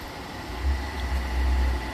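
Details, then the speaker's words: Atwood 7916-II 16,000 BTU propane furnace (hot wire testing) blower pre-purge before ignition: steady low rumbling whoosh with even hum, no scraping or ticking; blower runs smoothly, then click-over and propane firing. "so it's going to run for a little bit I'm going to hear that click over and let the propane"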